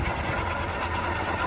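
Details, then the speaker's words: 1959 Chevrolet 3100 with a six-cylinder engine, 4-speed and Napco 4WD: a steady, even idle with a soft low rumble and no knocks or misses. The old six runs well. "Runs like a wash. These old 6-cylinders really did run good."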